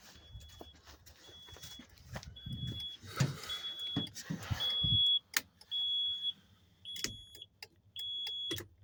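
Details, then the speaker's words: 2005 Kenworth T800 after replacing a flasher relay that had failed from water intrusion: crisp relay ticks keep time with the flashing signals over a quiet cab; normal turn signal flasher operation. "so long story short you know obviously you should hear that uh that relay ticking like it does right here mine did not"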